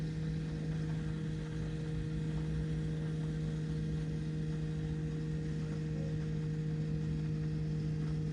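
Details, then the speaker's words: BMW F15 X5 35d diesel after fuel filter replacement, low-pressure fuel pump primed without scan tool: steady low electric hum with faint gurgling as air is pushed through the system. "you can hear all the the air being pushed through now normally when you do like a scan tool uh and prime the system it'll prime like three to five minutes"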